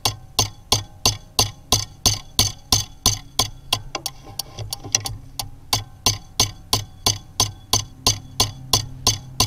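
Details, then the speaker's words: Delphi common rail injector from a Bobcat/Doosan engine, bench-tested at 2000 psi: crisp, even solenoid ticks about three per second with no misses or buzz, and tiny matching pulses in the back-leak line; normal injector solenoid operation. "so you should be able to hear this solenoid firing right now so that that looks like a good injector so right now it's working properly"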